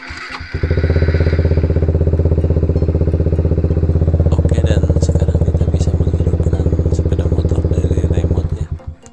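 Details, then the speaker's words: Suzuki Satria FU motorcycle just fitted with an alarm, battery cable reconnected, started by double-clicking the remote starter button: starter whirr, then a steady even idle pulse of about four beats a second; starts and runs normally. "Dan jangan lupa pasang kembali kabel aki yang tadi kita lepaskan untuk melihat apakah bisa distarter dari remote. Kita klik 2 kali tombol starter pada remote-nya."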